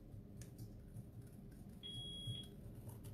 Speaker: Don't know if you can you hear the beeping in the background? Really sorry, there's something wrong with our alarm today.